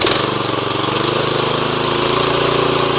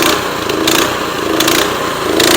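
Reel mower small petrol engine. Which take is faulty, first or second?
second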